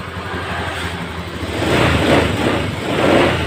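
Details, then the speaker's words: 2015 Honda Scoopy scooter after repair: engine now smooth and even with a light throttle blip, no knocking; earlier rough noise from running out of oil, scored cylinder, piston replaced. "Ini motor sudah nonton sudah hidup dan suaranya sudah halus nyari-nyari tidak ada suara sama sekali"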